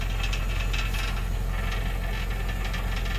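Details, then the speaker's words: Nissan Titan at idle: rapid tinny rattle about four hits a second from the loose skid plate under the gas tank touching; fix is bending it down, as before. "but do you hear that rattling it's not like it's coming from this side yeah it's definitely coming from this side and i'd already thrown a something lay on down here you know i've had this issue before and what it is it's the skid plate on this gas"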